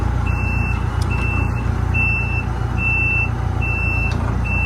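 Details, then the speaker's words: 140 machine (10K hours), reversing alarm checked: steady high beeps about four a second over diesel idle. Normal reversing alarm. "Reverse works."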